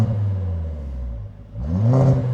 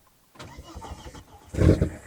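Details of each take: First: 1999 Volvo T5 2.3 turbo five-cylinder, revived after sitting, no leaks: clean free revs rising and falling smoothly several times, an even note with no knocks or rattles; a healthy engine. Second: 1999 Volvo T5 2.3 turbo five-cylinder, left parked and being revived, after refuelling with petrol: a short burst of starter cranking with a few uneven chuffs, but it never catches; cranks, won't start, cause unconfirmed.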